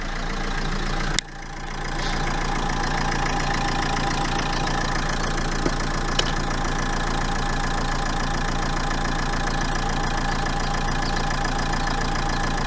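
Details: Renault 1.5 dCi diesel idling irregularly with an uneven lumpy beat and faint irregular knock about three or four times a second: bad injector.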